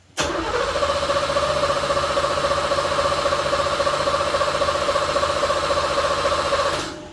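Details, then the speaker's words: 1986 C4 Corvette Pace Car Edition that sat in a garage 14 years, with a part still disconnected from the engine: even starter cranking at about four beats a second for seven seconds, never catching. It cranks but won't start. "He said he's been cranking on trying to get it to start."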